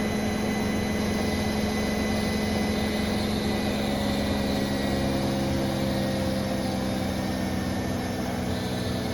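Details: New Bosch Serie 4 WAN28281GB washing machine on a balanced final spin: steady rushing hum with thin squealing tones on top; seal clear of drum, owner suspects bearings or belt.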